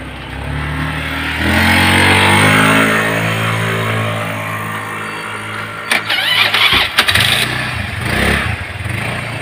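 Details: 2018 Honda Scoopy scooter, being test-ridden after fitting 13 g CVT rollers to fix weak, sluggish pull: even rising drone with no shudder or judder on take-off; drive belt and clutch sound normal.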